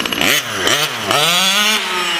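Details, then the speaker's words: Reed-less Taylor 35 small-bore nitro engine with Olamat pipe, full pulls at about 3/4 throttle, high-end needle deliberately set rich: revs sound fuzzy and blubbery at the top instead of crisp. "I'm still running it high-end needle rich. You can hear it"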